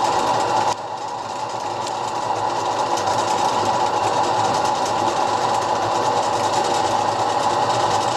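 Smooth, even mechanical whir with a light rapid patter and no knocks or grinding; the lathe spins up and runs cleanly.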